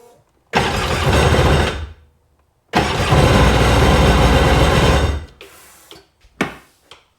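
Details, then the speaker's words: Sea-Doo engine fired briefly: two short bursts of even, steady running with no misfire stumble or knock, though thought possibly dead on one cylinder; sounds smooth and healthy, normal running. "that engine even sounds healthy. It's funny that it's uh dead on the one cylinder. Although no, you can hear it running, but it's smooth."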